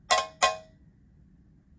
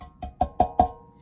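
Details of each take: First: Guitar amp reverb pan (Blues Deluxe reissue) after mounting mods leaving it loosely coupled to the cabinet: four sharp metallic taps dying away quickly with no lingering ring; well-damped pan, no resonance. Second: Fender Blues Deluxe reissue combo amp reverb pan tapped: four sharp taps each leaving a clear metallic ring that sustains; pan resonates too freely, to be damped with foam tape across the top to cut metallic tone in the reverb effect.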